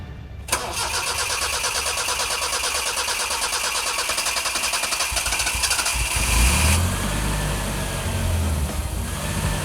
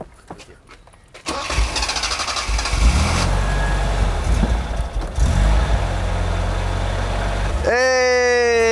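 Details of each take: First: Barn-find 1984 Isuzu Impulse, first start after fuel tank work with about a gallon of fuel: starter cranks about a second, engine catches, runs roughly several seconds, then dies; kinked fuel line at the pump found. Stall from fuel starvation. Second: 1984 Isuzu Impulse barn find after fuel tank components, fuel pump and suspension work, first start on about a gallon of fuel: quiet cranking, then catches about a second in and settles into a steady, even, healthy run with no misses or knocks.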